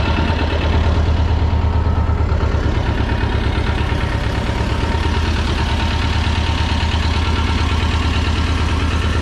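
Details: 1985 USSR-built Belarus 250AS diesel tractor, sat unused about 8–10 years, revived after fuel-system and injection-pump timing work: steady low diesel chug at an even beat, no knocks or misses, settling into a smooth idle; normal running.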